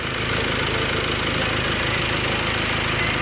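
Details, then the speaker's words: Ford Everest at idle after replacing the worn, squeaking auto tensioner and drive belt: steady even idle with smooth low beat, no squeal, chirp or rattle; belt drive now quiet. "swabe na yung ating pinalitan na aut conditioner at saka drive belt mga Bossing ng Ford Everest Okay na Sir okay na wala ng ingay"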